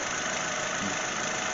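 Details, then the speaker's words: 2022 Honda Civic 2.0-litre four-cylinder started right after an oil change to fill the filter: even, light idle with a fine clock-like ticking, no misses or knocks; normal idle. "look at that it sounds like a clock tick tick tick tick tick well that sounds nice sounds like all four squirrels are running"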